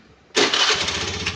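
Quick crank and the engine catches at once, settling into a steady buzzy idle with no stumble; starts normally.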